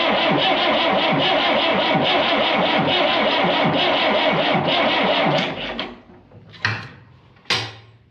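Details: Old diesel, smoky and noisy, after a new filter, a freshly painted injection pump and a 1 oz fuel shock treatment: steady rhythmic cranking about three turns a second for five seconds, never catches; slow crank, no start.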